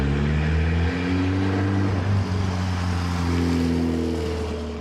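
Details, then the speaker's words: Rusty Mitsubishi Evo 8 with 4G63 engine, 200,000+ miles; steady note with gentle rise and fall in revs, firing evenly on all cylinders, no misses or knocks, health not yet fully diagnosed. "the rusty Evo actually kind of runs and drives that's right the mighty 4g63 in this Evo with 200 000 plus miles actually runs and it seems to run okay it's hitting on all cylinders"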